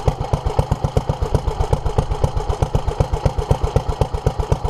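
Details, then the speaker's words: 1947 Petter A2 single-cylinder engine running after its Zenith 24T2 carburettor was stripped, ultrasonically cleaned and fuel pipes replaced; started easily; even, steady firing about four beats a second, no misses or hunting; fuel leak remains; running smoothly and healthily. "I'm actually surprised how easy that started that like I said I've never studied one of these before and I'm gobsmacked"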